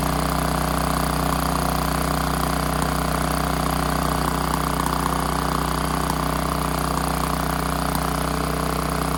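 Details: Generator engine after tightening the choke and adjusting governed idle, aiming for about 61.5 Hz: holds a fast, perfectly even speed with a steady hum and no hunting or misses; governor set right.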